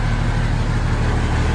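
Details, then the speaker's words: MB Trac 1300 diesel tractor, first start in six months after new injector seals, hydraulic hose and oil, and air filters: steady, even low rumble with no misses or hunting. No leaks, though there is an air leak under the seat. "like a kitty cat and no leaks are farther well enough of anything I've done anywhere so that was there before from the tank work but yeah first time she started in I got six months"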